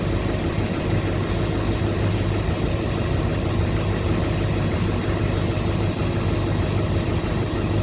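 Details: 2006 Chevy Silverado LBZ Duramax diesel with DSP5 switch and tune, original 3.5-in exhaust before 5-in swap, cold after sitting overnight in the 20s °F (upper 50s now): steady even clatter at low cold idle, smooth deep drone, no misses or knocks; normal.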